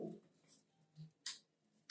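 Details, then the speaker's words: HP LaserJet M1136 power supply on the bench at switch-on: faint, sharp ticking a fraction of a second apart. This ticking is normal and means no problem; 24 V is present at the output. "इसने टिक टिक करके आवाज करिए इसका मतलब है ये proper ये आवाज आनी चाहिए अगर ये आवाज आ रही है तो इसका मतलब है प्रॉब्लम कुछ नहीं है"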